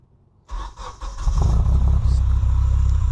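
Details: Honda Civic's first start after sitting about 10 months; the low battery couldn't fire the fuel pump, so the battery was replaced. Cranks briefly, catches within half a second and settles into a steady, even idle; healthy start.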